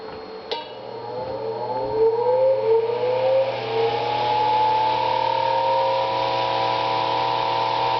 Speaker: this one's pretty noisy I need to oil it yet haven't done a single thing to it